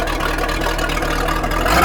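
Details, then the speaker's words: Chaparral 187 XL boat, MerCruiser 305 V8, after water in fuel fixed by new fuel water separator, fresh gas and priming: steady, even idle with a smooth low beat, no stumble or misfire. "it's good and here's what she sounds like watches no water"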